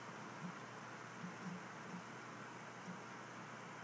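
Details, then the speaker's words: New Dynatron ball-bearing CPU cooler fan, replacing a cheap whining one, under load while rendering a 720p video: soft, steady airy whoosh with no ticking, rattle or surging; much quieter than the old fan, running healthy. "the answer is not very loud at all I can hear it but it's not that loud that's pretty sweet much much much quieter than the old one"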